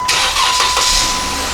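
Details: Flood-damaged 2014 Jeep Wrangler from Tampa, after replacing two squeaky accessory-drive pulleys (bad bearings): short crank and catch into a steady idle with no belt squeal or chirp; accessory drive sounds quiet and healthy.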